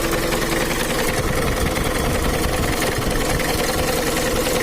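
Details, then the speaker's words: Mitsubishi Kuda diesel (4D56) at idle, injection pump not yet adjusted, with a steady "otok-otok" knock tied to engine speed under the rattle. The crankshaft pulley bolt is loose and the pulley wobbles. "menurut analisa saya yang bunyi itu dipukuli askruk karena putrinya itu goyang-goyang nggak stabil"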